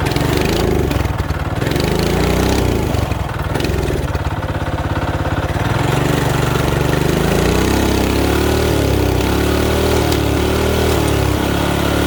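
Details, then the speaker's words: Mini bike single-cylinder with new carb, high-compression head, thin head gasket, coil, plug, wire and fresh fuel: fires unevenly, surging and stumbling; won't run properly, owner suspects low compression or a mistimed aftermarket cam. "we're either so low in compression that she's just not gonna work or there's potential that he has an aftermarket cam in there he didn't tie it properly"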